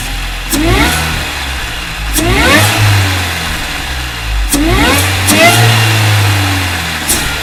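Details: 2003 MINI Cooper S R53 supercharged with new Alta Performance cold air intake: sharp free revs rising and falling with clear supercharger whine climbing in pitch on each blip; pulls cleanly, healthy.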